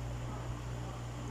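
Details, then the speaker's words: Dowell electric fan after adding a washer to replace the worn thrust washer, with the blade and cover refitted: quiet, steady low hum, smooth spin, no rattle or scraping; running normally. "Garalgal, wala na. So tingnan nyo guys. Ganda ng ikot niya guys."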